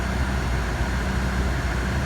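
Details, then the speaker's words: CM Valiant with a carburetor just back from rebuild and new air conditioning: steady idle hum with no sag or labouring as the small AC compressor engages, which adds hardly any load and is barely audible. "beautiful and look at that you can't even hear it didn't change bugger all a little bit yeah don't take much load that little radio compressor very cool"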